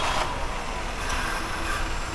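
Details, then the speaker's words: Maruti WagonR CNG engine revving with a ragged, uneven chuff and no clean beat: a misfire with engine shaking, poor pickup and the MIL on. Fault codes P0303/P0302/P0300 point to cylinder 3, and a faulty ignition coil was found. "Misfire हो रही है। Misfire यानी गाड़ी का engine vibration हो रहा है और गाड़ी का पिकअप नहीं ले रही गाड़ी, और गाड़ी एकदम चलने में एकदम खटारा सी लग रही है।"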